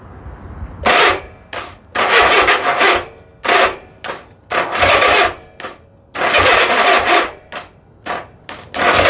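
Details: 1982 Honda Goldwing barn-find engine moved to parts-bike frame: uneven cranking and coughing bursts roughly every second, it "poofs" but never catches; weak, likely dead battery and starter solenoid due for replacement; cranks but won't start.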